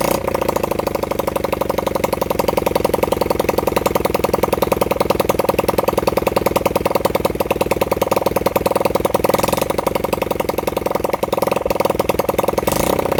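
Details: Honda CB100N single-cylinder motorcycle after over 20 years off the road, jump-started from a weak battery; the engine pops along unevenly, stumbling and surging. Rough running; the owner says the carburettor was in a bad state.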